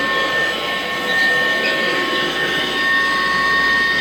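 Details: Kirby Classic Omega with plastic Lexan fan and Kirby Classic 1-CR vacuums: steady high whistling squeal over a loud motor roar after the motor bearings were greased; squealing bearings suspected, not confirmed.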